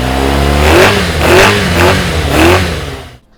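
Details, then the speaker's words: 1989 Yamaha FZR600 Genesis four-cylinder, unstarted for over 4 years, after new spark plugs and coolant bleed: crisp repeated rev blips rising and falling cleanly, pulling smoothly without misfire or stumble. Runs much better, healthy. "So we did start it up, runs much better."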